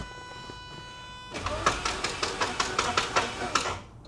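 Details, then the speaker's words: 1988 Saab 900 Turbo with fully charged battery, long-standing hard-start issue: starter churns unevenly, two to three beats a second, for several seconds without firing; sounds like no fuel, viewer suspects overboost protection switch. "yeah doesn't that sound horrible listen to that thing that is so bad that's the starter okay but it just doesn't want to do anything it sounds like there's no gas going into the engine"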